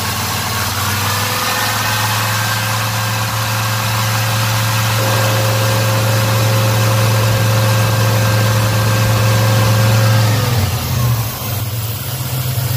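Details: Black Pearl pickup V8 after a TBI throttle body rebuild with cleaned injectors and fuel pressure set a little over 12: a deep, steady idle hum with an even beat and no misses, stumbles or ticking. Normal idle.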